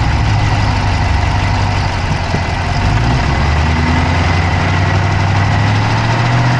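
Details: Dodge Charger Hemi V8 at idle, recorded inside the passenger-side engine bay: a steady idle with a quick, light ticking on top that keeps time with the engine; a fast tick whose source is not pinned down.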